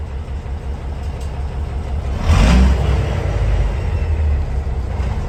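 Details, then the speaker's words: Peterbilt 362 cabover diesel that wouldn't start after sitting four weeks in the cold: after a new fuel valve and fresh fuel in the other tank, it idles with an even low rumble, smoother and quieter, valves still audible. "But I think runs smoother and a little bit more quiet. I mean quiet, I can hear the valves that much."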